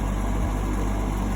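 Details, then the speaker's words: GE AHEK08ACW1 air conditioner, three weeks old, that kept kicking off, after bypassing the control board and reassembly; a steady low hum with an even, unbroken drone and no knocks or rattles, not kicking off, blowing cold. Normal running. "turn it back on so far it hasn't kicked off it is cold it is on so"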